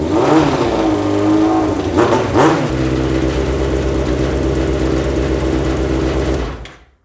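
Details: Yamaha FZ6 engine in a homemade kart with new stainless exhaust: even steady exhaust note with a couple of quick blips, then settles and shuts down cleanly; healthy.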